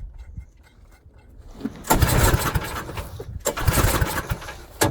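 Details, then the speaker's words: Snowblower small engine after auger belt replacement, at full throttle: catches in uneven bursts, surges, then sputters and dies between tries; owner suspects it is out of gas, fuel starvation. "Give me 1 second. See about adding some fuel. Maybe it is out of gas."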